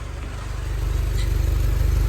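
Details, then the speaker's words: 1942 Ford GPW flathead on a warm start after repairs: a deep, even low idle with a steady exhaust beat and no exhaust leaks, puffing, ticking or misses. A normal, healthy idle. "she sounds good and healthy don't hear any miss or anything like that I call that pretty good"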